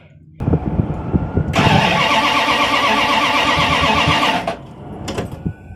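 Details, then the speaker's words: Van with a newly fitted carburetor, thermo choke coil still missing: the starter cranks with an even chug about four times a second for three seconds but never fires. Owner suspects the fuel hard line from the fuel pump; cause unconfirmed. "Yeah, still not. I don't know. There must be something wrong with that hard line, maybe, that goes from the fuel pump."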